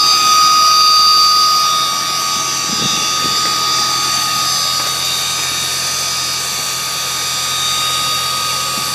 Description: Anyone heard this noise before? Car has been supercharged but noise doesnt sound like the whining from the charger.